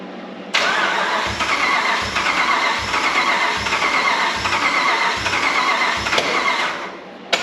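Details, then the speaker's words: 2005 Dodge Ram 1500 4x4 with a swapped donor Hemi V8 and new fuel pump, just refuelled with fresh gas: started on ether, picks up cylinders and idles on its own with a lumpy, uneven thump; still missing. "got her going on some ether for a little bit and then it started picking up on some cylinders to where it run on itself and so we've just been running it here it's still [Music] missing but at least it's idoling"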